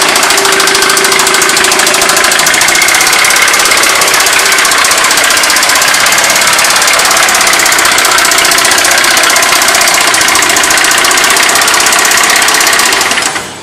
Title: Honda s2000 worse rod knock I ever heard!